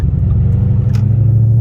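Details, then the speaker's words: Car with McLeod RST twin-disc clutch and MT82 transmission, pulling away in third gear at low rpm: low rumble with a brief shuddering flutter as the clutch takes up; clutch chatter when lugging. "So if anyone's wondering what clutch chatter is and what it sounds like and how you can even get it to make that sound, it's really under, like, to me, unrealistic, like, circumstances."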